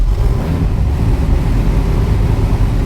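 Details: Superformance GT40 with Roush 427SR V8, started in neutral right after an oil change while still about a quart low; deep lumpy burble at steady idle, strong exhaust airflow, no knocks or ticks; normal idle.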